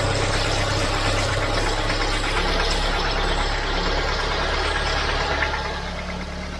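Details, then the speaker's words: Volvo 940 Turbo warm idle surging and sagging unevenly with a rough underlying beat; owner suspects a vacuum leak, MAP sensor or idle control valve; hunting found to be from a leaking fuel pressure regulator. "what we could have is either a split line we could have a split vacuum line somewhere so it's allowing air in so it's making it hunt could also be a bad sensor it could be a bad map it could be a bad idler control valve"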